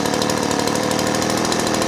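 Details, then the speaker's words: Small two-stroke engine idling with a rapid buzzy rattle during carburetor tuning; the low-speed mixture screw, reset from 1 1/4 turns, is turned in to lean it, and the idle rises until it peaks at the optimum setting. "Hear it coming up. Right when it gets to its highest, I'm going to stop."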